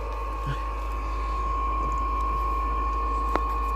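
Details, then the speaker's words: Webasto-type parking heater in a van, first test run powered from the battery, exhaust silencer underneath: a steady fan whine at an even pitch over a constant low hum, with no rattles or surging. It works perfectly. "Voilà, ouais. Ça fonctionne nickel."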